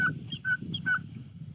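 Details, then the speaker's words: Strimmer primer bulb being pressed to prime the engine: three short squeaky whistles, one per squeeze; owner suspects a gap or hole letting air into the fuel priming system. Strimmer to be serviced. "देखो क्या तुम्हें यह चरमराहट सुनाई देती है। अब, मेरे हिसाब से, इसका मतलब है कि सिस्टम में कहीं कोई गैप है। थोड़ी सी सीटी बज रही"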